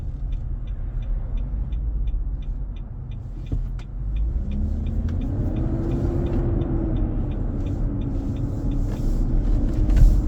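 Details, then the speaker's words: 2023 Nissan Armada, 4k+ miles, 95F inside: returns after a stop while accelerating. Heavy low roar with a rising drone and turn signal ticking. Owner feels power drained and AC possibly weaker. Fan clutch roar. "I can hear the sound coming back up. Pressing my accelerator and the sound keeps coming."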